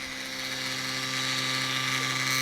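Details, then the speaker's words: Konami M2 arcade board disc drive after rust cleanup: steady high-pitched whirring and hum, drive spinning and searching repeatedly, then a hardware error shown; a chip on the board suspected; optical drive seeking repeatedly. "sounds like the dries doing something trying to read oh hardware error okay well at least it's doing something"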